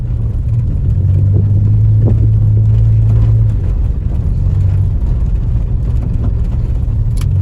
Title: Honda Civic EJ9 A/T Full Pov Driving with misfires on all 4 cylinders (71 72 73 74) hows feels like